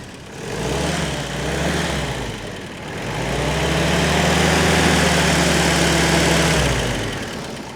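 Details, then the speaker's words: WW2 Willys Jeep four-cylinder with a Solex carburetor: cranks a while before firing (the old Solex did the same), then a steady, even low chug settling after a brief rev; normal healthy idle. "there you go and she's running and she's happy"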